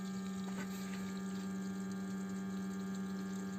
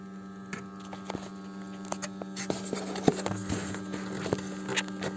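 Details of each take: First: BMW E60 520i auxiliary electric water pump, ignition on and engine off during coolant change and bleeding, steady hum with watery rush, louder after squeezing a hose; possibly air reached the pump. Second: BMW 520i E60 auxiliary electric coolant pump running with ignition on and engine off, heater at maximum, during coolant change and bleeding; phone held close: steady low hum with vibration and audible water movement plus handling clicks, pump working normally.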